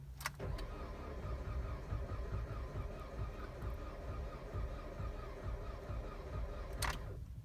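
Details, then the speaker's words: 2007 Dodge Caliber 2.0L, 340,000 km, weak battery, cold weather; slow, dragging, lumpy crank for several seconds without firing, typical of very low compression, though a rhythm begins to develop. No start; engine not yet condemned. "okay I don't know how well you can hear that but it sounded bad but now we're starting to get a little bit of a Cadence to it"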